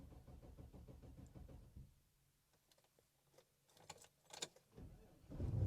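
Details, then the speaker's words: 2004 Cadillac Escalade, 6.0L LS engine, sitting unused since October, check engine light on; slow uneven cranking, a pause and clicks, then it catches, a hard start after long storage. "Oh, and it started. I knew it would start. I mean, I did move it here, but it has been sitting for, well, since October."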